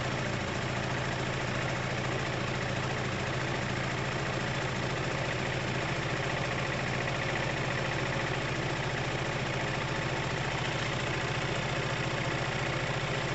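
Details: Dumped Piaggio Typhoon 125 scooter after a 20-minute first start, with only the spark plug changed. Uneven knocking at about three to four per second over a ragged single-cylinder idle. The dipstick shows it very dry of oil, and the owner is adding oil.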